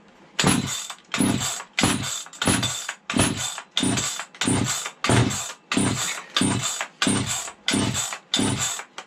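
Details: 1970s Stihl 031AV chainsaw, left sitting outdoors and rained on: repeated pull-start bursts, each catching briefly and sputtering out, smoke from the exhaust; spark plug possibly not tightened. Sputters but won't keep running, cause suspected, not confirmed.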